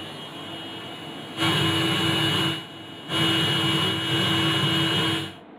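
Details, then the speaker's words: Unitra AT-9100 ZRK amplituner with speakers connected: steady hiss with no programme sound, left channel hissing, right channel silent but pops at switch-on, so the power stage may work and a connection is suspected broken. "Znaczy szumi, a prawego nie słychać, ale przy włączeniu słychać puknięcie, czyli końcówka mocy może być sprawna, tylko coś nie łączy."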